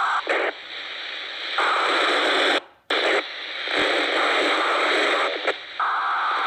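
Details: Loud hissing static cutting in and out in uneven bursts from a Motorola MTX8000 handheld radio; the cause is unknown.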